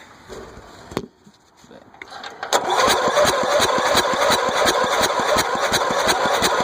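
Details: Gravity-fed carbureted engine after being flooded with mossy water, starter brushes cleaned, first start attempt with a little gas: starter chugs slowly and steadily, nearly three beats a second, but never catches; cranks without firing.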